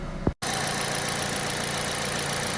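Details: Aging Kia All New Picanto idling after replacing the alternator with a MIRE unit for low charging, new battery; charging now reads about 14 V. Steady, smooth idle, even low hum, no belt or alternator squeal or whine: normal idle.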